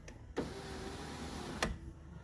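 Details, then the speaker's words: 2007–2012 Dodge Caliber window motor bench-bumped with the switch jumped, before the new switch was fitted and the door reassembled. Short, clean whir of about a second with crisp clicks at start and stop; the window goes up and down normally. "But now that I've got that jumped over there, I stuck the motor on here, and I want to be pretty dang careful with this, so let me bump it and see what happens. yeah, the window does go up and down."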